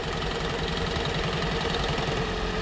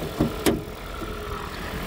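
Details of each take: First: 2012 Toyota Prius, cold morning start: rough, shaky idle with an uneven low pulsing rattle and a very strange engine noise. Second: 2012 Toyota Prius with 213,000 miles, after a fix for morning shaking and popping traced to the spark plugs: two brief clunks, then a quiet, steady, even idle with no knocks or ticks. It now runs perfectly.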